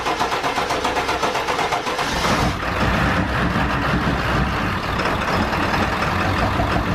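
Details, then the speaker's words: 7.3 Power Stroke diesel truck after installing stage 3 205/30 injectors, following a hydrolock, some air possibly still in rails: cranks, fires and settles into even diesel clatter at idle, no misfire; running smooth. "so the truck is finally running we got the new injectors in it's running nice and smooth"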